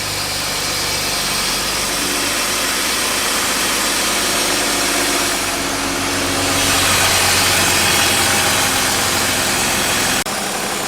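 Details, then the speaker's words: BMW E36 with M50 intake manifold swap and AFE cold air intake, just started in garage: clean free revs with loud throaty intake roar; pulls evenly, runs and idles well. "It's definitely here the intake noise. Oh, yes. The intake noise is definitely there. It's loud. Way louder."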